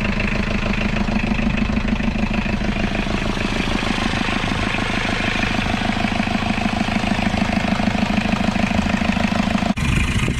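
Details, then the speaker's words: Isuzu P'up turbo diesel four-cylinder mini truck, first run after 28 years sitting, on parts-washer fluid: even diesel clatter at steady idle, regular firing without stumble or knock; normal idle. "listen to that thing run on Parts washer fluid and it's idling even"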